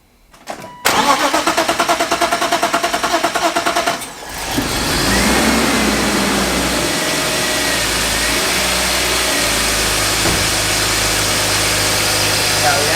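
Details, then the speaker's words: BMW E36 first start after an M50 intake manifold swap and a cold air intake install: the starter churns steadily about three beats a second for several seconds before catching because the fuel system was not primed; it then runs and idles well. "We didn't prime the fuel system, that's why it took a second, we forgot. It runs beautiful, dude. Yeah, it idles good too."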